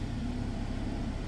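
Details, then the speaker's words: 2023 Kia Sportage SX at 48,000 miles, first start right after an oil change, hood up; low, calm, steady idle with no tapping or stumbling once settled. Owner heard a brief slight knock that went away; normal idle. "First start after an oil change, it's always good to kind of listen to the engine. Listen to how it sounds with that new oil circulating."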